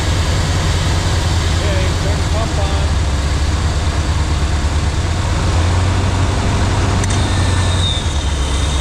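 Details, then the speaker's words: Off-road wrecker tow truck with a new hydraulic pump, after bleeding, engine running and pump engaged: heavy even low drone with no knocking, grinding or surging; pump works excellently. "on oh don't get that it works excellent"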